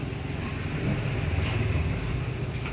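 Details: Washing machine that washed poorly and was loud with debris during spin, after cleaning: steady even low hum during spin-dry, no knocking, banging or rattling.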